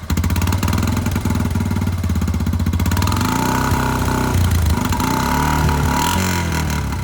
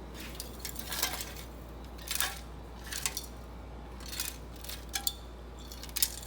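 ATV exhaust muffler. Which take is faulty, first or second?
second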